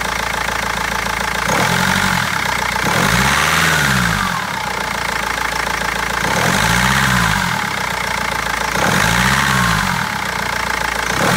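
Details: BMW 320d diesel idling with a hard clatter and a lumpy beat that stumbles every few seconds from misfiring; injectors or tappet suspected, but garage and seller have not found the cause in over a month.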